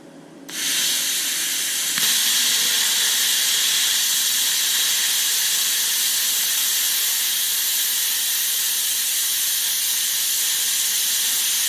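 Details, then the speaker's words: YesWelder Firstess MP200 plasma cutter cutting half-inch plate: a pop, then a loud, steady hissing roar as it works near its limit; it gets through, but slowly, barely slicing, and the piece came off easily. "it'll do it but it's it's a pretty uh pretty slow cut came off easily"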